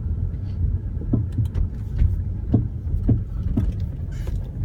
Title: BMW e34 sudden clunking noise